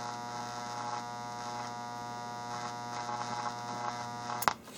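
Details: Atari AR2 audio regulator board on bench, speaker from cabinet miked with decibel meter, one amp load on speaker two; steady amplifier buzz with low hum and tones above, owner suspects ripple voltage, unconfirmed.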